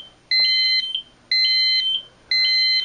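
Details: Silent Knight 5230 fire alarm annunciator during programming and zone test: steady high beeps in three-part bursts about once a second, the alarm tone after the test zone tripped.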